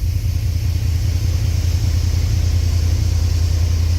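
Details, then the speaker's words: 1989 Chevy Silverado that would not start, after replacing the coolant temperature sensor, on a slightly weak battery: starts right up with no pedal and idles with a deep, steady low rumble and an even beat, no misses or knocks. Normal idle. "like right up battery was a little weak I don't know why the Charger's been on it that's that's the best it started this whole"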